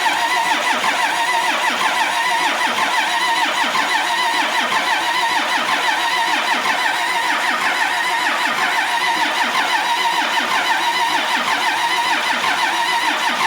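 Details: Cummins bus diesel, sat outside nearly 3.5 years, injector lines cracked for bleeding with another line opened: starter churns steadily with one heavy beat per second and never fires. Air is still in the fuel system, though fuel is starting to reach the lines.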